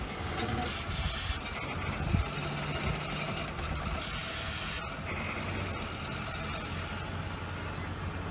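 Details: Steady, even idle on a 1989 Lincoln Town Car with a smooth low hum and no knocks, misses or ticks, heard just after the EGR valve was replaced; the engine is running normally.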